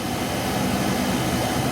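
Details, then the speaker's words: Porsche 914, replacement heater blower motor installed and switched on via relay: steady, even whirring hum with no ticking, rubbing or pitch wobble, no air leaks; normal blower motor operation. "I should be able to kick this over and the blower will go on. Blower's on."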